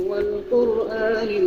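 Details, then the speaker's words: Simbadda mini active speaker set playing from a phone at full volume; the owner reports the larger bottom/middle speaker is broken, and the music sounds thin and tinny with almost no low end, only the satellites working, so the subwoofer is dead. "Nah, cuma ada di sini suaranya, dan di sini nggak ada ya. Nah, ini nggak ada, nggak nyala speakernya."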